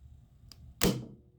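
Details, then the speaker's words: HVAC cooling control circuit with lockout relay and 24 V transformer on a bench: a single sharp clack as the compressor contactor pulls in, then a faint steady hum; normal operation. "you can hear the compressor contactor um let's just pull it in"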